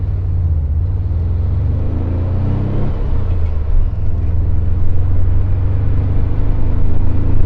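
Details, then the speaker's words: 1978 VW Super Beetle (also given as 1979) with original fuel injection, after fuel injection diagnosis and fix, on road test drive: steady even rumble pulling under load, no knocks or misses, shifts fine; runs healthy, night and day from original test drive. "different it's running good sounds healthy shifts fine"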